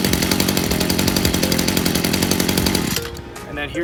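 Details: New two-stroke backpack sprayer engine, first cold start out of the box, choke down after turning over, throttle left at mid position: steady, even buzzing for three seconds, then cutting out cleanly at the kill switch. Normal running.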